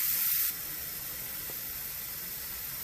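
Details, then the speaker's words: Instant Pot electric pressure cooker, quick release after cooking black beans: loud steam hiss bursts out then settles into a steady softer rush through the valve; normal venting, valve drops with a click when done. "the steam is gonna come out to always make sure there's nothing on the top of the está pot we're gonna win so all the team have released before we open it and you will hear a clicking sound once is done"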